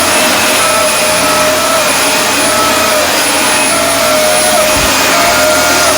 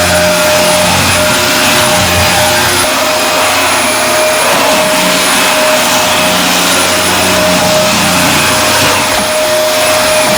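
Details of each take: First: Dyson DC24 All Floors vacuum: loud steady roar with a high, wavering whine on top because the dust canister is filled to and past the max line; emptying it is the fix. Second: Dyson DC24 All Floors upright vacuum running after its ball filter and canister were removed and cleaned: steady airy roar and even mid-pitched motor hum, no whine.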